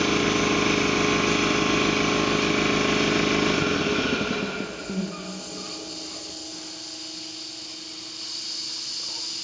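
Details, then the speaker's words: Ingersoll Rand T30 2475 upright air compressor, 7.5 hp, 80-gallon tank, set at 175 psi: pump chugs evenly, then shuts off near four seconds and winds down quietly, check valve releasing; no air leaks, healthy. "as you can hear there's no air leaks no issues nice clean air compressor"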